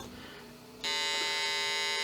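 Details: Olivetti M300-30/P, BA366 motherboard, powered on after adding a memory module (4 MB onboard plus 4 MB) to check the memory count: single steady high-pitched beep of about 1.25 seconds, normal POST beep with no error pattern.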